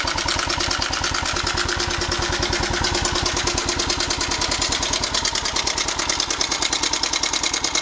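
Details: 1998 Suzuki Savage 650 single, 10,000 miles, idling: quick, bright ticking rattle about three per second over the idle beat. Loose cam chain because the tensioner had come completely out of its body, found with the cover off.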